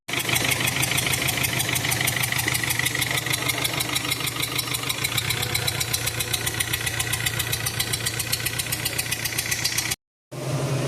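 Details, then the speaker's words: VW Vento engine knocking heavily at idle, jerking and throwing a lot of smoke; loud fast metallic clatter over the running note. Engine oil was very low due to an oil leak, causing the noise; lines found choked. "जैसे कि इसका दिखला चुके थे कि knocking बहुत ज्यादा कर रहा था। इंजन झटका ले रहा था और धुआ बहुत फेंक रहा था और आवाज भी हो रहा था।"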